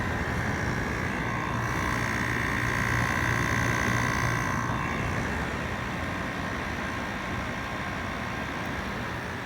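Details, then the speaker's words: Aging, rusty 5000 BTU window air conditioner started up in winter. It gives a smooth, even hum with a low steady tone and constant fan rush, no rattles or knocks. The compressor sounds healthy and the vents are getting cold. "but yeah it seems to be working and compressor sounds happy"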